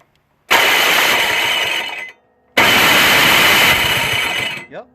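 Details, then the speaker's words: Toro Snow Commander 38602 single-stage snowblower with electric start, which would not start (bad gas suspected): two harsh grinding, whirring two-second bursts as the starter spins without meshing; starter motor works but its drive gears are stripped. "so starter is trash just like I told you and the motor still works but the gears are trashed just like they said"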